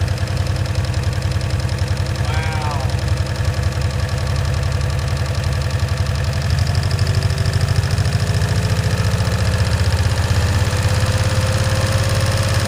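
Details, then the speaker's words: 1965 Cushman Truckster, in neutral after sitting over a year: loud, uneven low chugging with a knocky edge that never smooths out; rough, rich running, owner blames a stuck choke valve. "it's got like it's got a stuck choke valve on so it's not the throttle that's the problem it's the choke"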